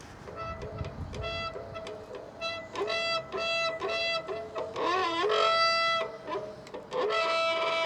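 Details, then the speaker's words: Front disc brake on a gravel bike (SRAM GX 2x11 drivetrain) gives a loud, wavering, musical howl in bursts each time it bites: the pads and rotor are contaminated with oil. "heult. Ja, ist also leider ein bisschen bisschen mit Öl kontaminiert."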